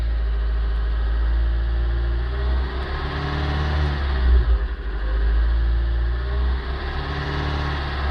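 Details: Kia Pride, year 2000, 6400 mil, warm but not fully hot: low engine drone with erratic idle, and the engine coughs with a dip and surge around 2000 rpm when revved slowly; intermittent, cause unknown.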